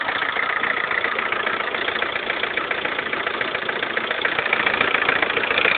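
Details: Lada Kalina 1.4 16-valve, 2011, 20,000 km, idle: fast even knock about three to four per second, sharp over engine hum, piston knock; suddenly rattled like a tractor overnight, dealer fitted pistons of a different size group, fixed.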